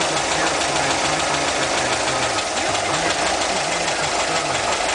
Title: Vacuum leak